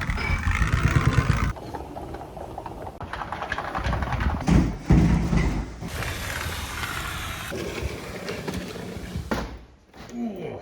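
Heavy rolling rumble that grinds and scrapes in uneven stretches as the panel is pushed along; a rough, noisy sliding door.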